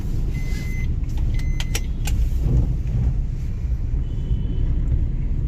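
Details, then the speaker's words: Maruti Ciaz driving in third gear after replacing the leaking clutch release bearing and fitting a new clutch; smooth even engine and road hum with no clunks, grinding or whine; normal drive. "यह तीसरे gear में है। देखिए यह कितनी आसानी से चल रहा है।"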